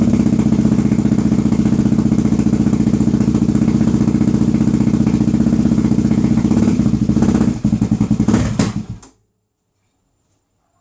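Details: Suzuki DRZ400SM with a new, fully charged battery, which previously wouldn't start and cuts out when hot: single-cylinder thumps for about eight seconds, then stumbles, surges and dies; suspected fuel starvation.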